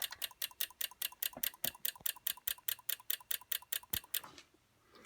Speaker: you'll see what happens and there it goes in uh fast clicking it will click for about 20 seconds then it will turn completely